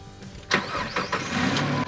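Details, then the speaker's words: Jeep XJ started after sitting a long time in wind, rain and dust: brief cranking catches quickly and settles into a steady low idle with no knocks, a clean start after long storage. "I'm excited this thing's a runner. It's been sitting for a long time."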